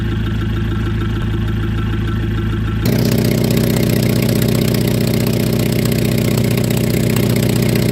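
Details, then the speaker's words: Damaged engine idling loudly with a raspy, rapid puffing of about four beats per second that grows louder and harsher; the sound of a broken, leaking exhaust. "También tenemos el sonido del escape roto"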